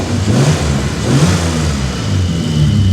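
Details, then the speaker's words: BMW E34, after replacing the fuel pressure regulator, Bosch mass airflow sensor and idle control valve: steady, even idle with smooth rev rises and no knocks or misses; engine now runs healthy. "he just ended up replacing the mass flow sensor and idle control valve and this is how she's running. Look at this, guys."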